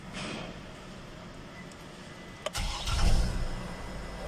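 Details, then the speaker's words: 2009 Chevrolet Trailblazer that cranked without starting and kept blowing the PCM fuse, after replacing a grounded fuel pump: short crank, fires almost immediately and revs briefly before settling, a clean healthy start. "it's good starting one click so that's grounded that's why the pcm is always blown"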